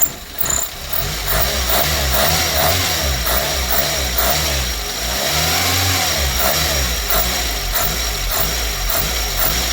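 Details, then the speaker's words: Renault 5 with new air cleaner, warmed up: engine rises and falls smoothly through a few light revs with a faint intake hiss; sounds healthy, normal revving. "Lovely sounding engine though, isn't it?"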